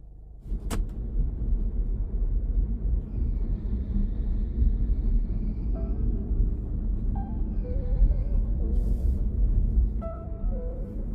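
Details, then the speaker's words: Interior of a moving car (Sportage R, Tucson ix, QM6 or Ray type with hook-mounted rear seats) after the rear seat mounts were wrapped about five turns with sound-absorbing tape: steady low road rumble, and the earlier seat rattle over rough sections is gone. "지금요 부분 같은 경우는 아까 지나왔을 때 소리가 굉장히 많이 났던 구간인데요 지금 작업을 하고 어 운행을 해도 전혀 소리가 안 나는 걸"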